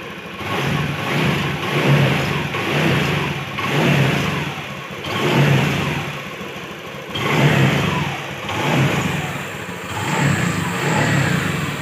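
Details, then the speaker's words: Honda Beat FI scooter upgraded with a Kaze piston: repeated hard throttle blips rising and falling cleanly with no knocks or rattles; healthy free-revving engine with lighter pull. "mantap nih nomor sekali ya tarikannya enteng lebih enteng"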